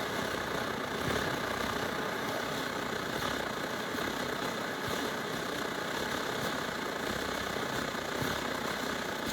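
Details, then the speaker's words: Late-model SVEA 123R stove (circa 2014), primed with alcohol, yellow flame, before wick install: loud uneven roar with ragged fluttering pulses, the burner sputtering and not burning cleanly. "See how it's sputtering like that?"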